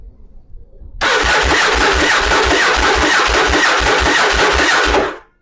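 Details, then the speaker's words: Yamaha Virago bobber with a small, old gel battery at about 0°C: starter whirs with slow compression pulses, about three a second, never catching; voltage sags below 10 V so the TCI won't fire the plugs, before a voltage stabilizer is fitted. "so we'll crank it again it'll just keep cranking it's not ever gonna hit so it's just dropping too low"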